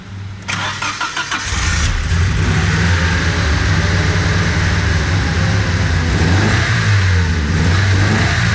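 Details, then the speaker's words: Freshly installed built KA24DE short block in an S13 just after the swap: cranks, catches and runs lumpy on three cylinders because the number three injector is bad, with a vacuum line left wide open; misfire. "yeah running on three cylinders but yeah all it counts it runs pretty good on three"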